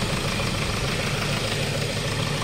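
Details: Hyundai Starex Gold diesel, recently overhauled after overheating, at idle: a hard, rapid, loud clatter over a rough idle. It is injector knock from faulty injector nozzles, including number four.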